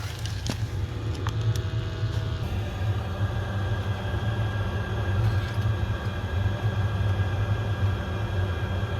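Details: Oil boiler that kept locking out and sooting up, after nozzle change and return to factory settings: steady, even low burner rumble with no sputter or pulsing, firing cleanly while being set up with a flue gas analyzer.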